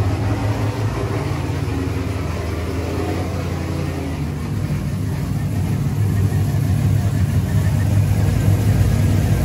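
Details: Pontiac G8 V8 with ported heads, after fixing a pinched wire that caused limp mode and crank/no-start: fires and settles into a steady, even idle with a smooth low rumble, no misses or knocks; healthy.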